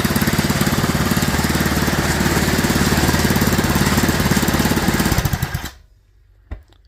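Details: Freshly built clone Honda GX200 engine with 68 mm block on a Ducar mini bike, first runs: uneven throbbing beat for a few seconds, then sags and stalls; owner suspects valve too tight and idle mixture off, not confirmed.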